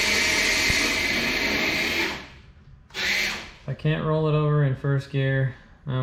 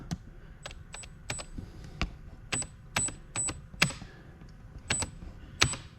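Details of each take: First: Traxxas TRX4 Blazer RC truck after repairs and cleanup, test run in first and second gear: short bursts of smooth motor whine rising and falling with throttle, no clicking or grinding; drivetrain runs cleanly. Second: Traxxas TRX4 Blazer RC truck, newly fitted 1080 ESC, powered up on the bench, motor visibly moving on its mount: sharp irregular clacks and snaps under power; spur gear chewed with flat teeth, causing the growling.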